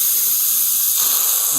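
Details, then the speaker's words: Worcester Bosch 38 CDi boiler system being drained, refilled and bled during service; steady high hiss of a lot of trapped air venting from the radiator bleed valve, dropping system pressure as water rises. "You can hear the air coming out. There's a lot of air trapped there, and that means when the water comes up, the pressure gauge goes down"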